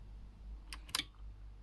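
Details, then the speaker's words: Aiwa AX-7600 power amplifier after recapping and fitting a new, much larger relay: one crisp click as power is switched off, only faint room hiss around it, the relay releasing cleanly and normally. "so if i hit the power button you'll just see the uh relay latch there you go so if i turn it off you can see the relay"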